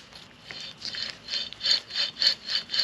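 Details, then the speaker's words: 2006 Mazda rear wheel hub removed from driver's side, turned by hand: dry, gritty rasping bursts from a worn, crud-covered bearing, to be replaced for noise and ride quality. "yeah I can feel grinding you can hear grinding it took a lot to get this thing off because as you can tell she's a little bit cruddy"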